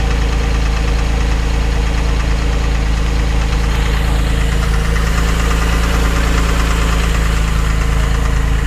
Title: 2006 Porsche 911, 997.1 Knocking Sound